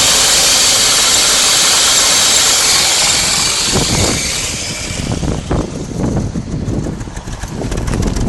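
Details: 1999 BMW E46 316i with M43 four-cylinder engine: a steady high hiss over the idle for a few seconds, then a plain idle; possible vacuum leak.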